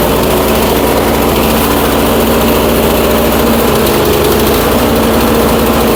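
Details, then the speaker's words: Troy-Bilt Storm 2410 snowblower single-cylinder engine, smoking, running worse as it warms: loud buzzy note at steady speed with an uneven stumbling beat; rough running, owner suspects fuel-washed rings, cylinder scratches seen by borescope. "Well, the warmer this engine gets right now, it's definitely running worse than what it was."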